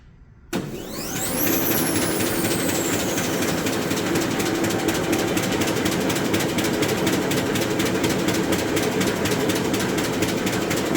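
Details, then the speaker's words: Arter A3-12 rotary surface grinder with 12" electromagnetic chuck and 12" x 3/4" wheel, 220 V three-phase. The flat belt drive to the spindle runs at an even hum with a light click about twice a second from the belt seam; this is normal running. "machine has a flat belt drive to the spindle on it so you hear it kind of clicking from the seam and the belt when it runs"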